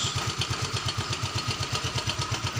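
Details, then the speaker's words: Yamaha Mio M3/Soul GT 125 scooter idles steadily with even low thumps and no misses after restarting by starter, once the broken red wire behind the total electrical failure was repaired. "Sekarang kita coba starter lagi. Oke, dan motor menyala."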